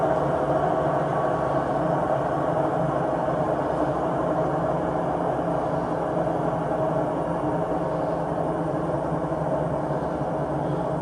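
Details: 6-year-old Samsung WW80J5555FWEU 1400rpm washing machine on spin, steady even roar with faint constant hum; owners suspect worn drum bearings, not confirmed.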